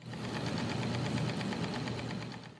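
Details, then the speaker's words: Dentsply Sirona Primescan intraoral scanner held to microphone on startup with blue light on: fast fine even rattle with soft low whir, the dynamic lens working normally. "there's a little bit of rattle now I'm going to hold this up to my microphone which is just out of the shot so you can hear it"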